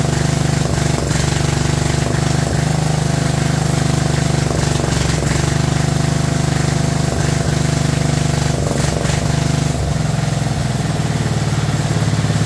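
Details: Abandoned 2004 Murray lawn tractor, Briggs 12.5 HP OHV single, first run: loud low chug loping and dipping unevenly every few seconds, choked and running too rich; flooding cause later fixed and carburetor adjusted.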